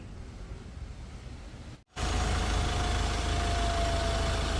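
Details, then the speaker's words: Ford Ranger T6 diesel after engine rebuild (new pistons, rings, main and rod bearings) and fresh 100% synthetic oil: steady even idle, no knocks or misses, no heavy white smoke as before; engine smooth, starts easily, normal idle. "นะตอนนี้เครื่องยนต์เป็นปกติแล้วนะครับผมทำงานเป็นปกติแล้วนะฮะเสียงเครื่องก็นิ่มแล้วก็สตาร์ทติดง่ายแล้วนะครับผม"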